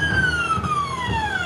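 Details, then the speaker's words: CNC mill (Mikini) on Mach, spindle off, running the outer arc of a hole-pocketing program: whine slides down in pitch with dull thumps about every half second, felt and seen in the table; steppers thumping on arcs, cause unknown. "Right there. There's like a thumping, and you can actually see the table kind of hear it thumping."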